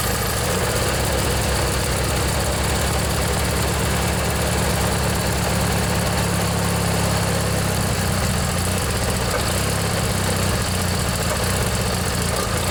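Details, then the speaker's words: Montgomery Ward (MTD) riding mower, 16 hp Briggs & Stratton flathead opposed twin, not started in one to two years, after starter motor replacement. A little smoke and water from the muffler, steady even thrum, no misses or knocks; normal running. "man it runs good glad to hear that i think that was the problem folks just that old starter motor there was just worn out"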